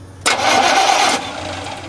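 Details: 1990 Chevy truck with a 350 petrol engine that was filled with diesel, cranked while the fuel system is flushed: short burst of starter cranking that fades without catching; no-start from diesel in the petrol fuel system.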